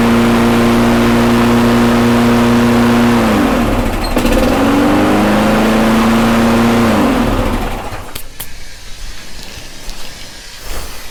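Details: Toro Recycler mower with no clutch, after carb cleaning, fresh gas and handlebar replacement: steady even buzz with one brief speed dip, then clean shut-off; sounds healthy.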